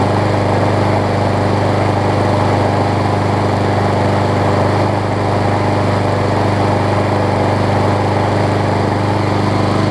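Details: Scotts self-propelled push mower with Briggs & Stratton Quantum engine, about 6.5 hp, after carb clean and air filter refit, having sat a while: smooth, constant drone with no sputter, misfire or speed swings; runs as it should.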